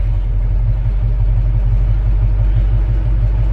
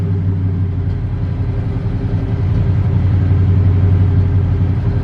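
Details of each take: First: V8 truck warm after running 15–20 minutes: deep, low rumbling idle with a steady lope and no obvious knocking; owner says it's just about perfect, a little ticky and slightly exhaust-leaky. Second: Square-body truck V8, idle air control valve not yet set and engine still needing tuning: deep burble at idle with an uneven, lumpy beat instead of a smooth tick-over; rough idle.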